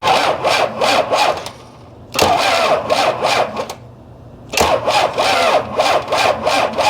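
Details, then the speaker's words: 1993 Dodge D350 Cummins turbo diesel, abandoned 18 years, with new starter and fully charged new battery: slow cranking about three beats a second, limping uneven rhythm, stops and restarts twice, not cranking faster. "I want to see if this thing's cranking over faster at all so it's not cranking over any faster"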